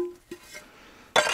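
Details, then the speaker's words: Old roofing slate, stored outdoors about 10 years, tapped before fitting: sharp tap gives a short, clear ringing note dying away cleanly; a hard, sound slate, unlike chalky ones. "now this is a nice hard slate hear that"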